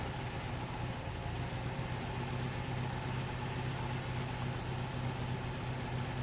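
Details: 1964 Triumph TR4 recently rebuilt four-cylinder petrol engine idling smoothly with a steady low pulse and no misfire, after swapping a high-resistance rotor for a new one, with ignition checked on a Snap-on Counselor II scope.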